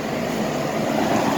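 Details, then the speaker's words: 1984 Carrier 2.5-ton AC condenser with ICM 870 soft starter, compressor drawing about 16 A: even hiss and hum holding steady, quieter as it runs, no knocks or rattles; starting and running normally after about a 5-minute delay. "Alright, so now you can hear the compressor a little bit, and it gets quieter obviously as it's running."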